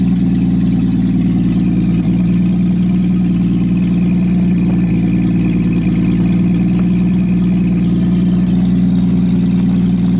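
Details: Engine on a newly installed aftermarket monojet carburetor, first start after sitting about 3 weeks, exhaust removed: loud, raw, steady idle with a deep unmuffled rumble. Open-exhaust idle.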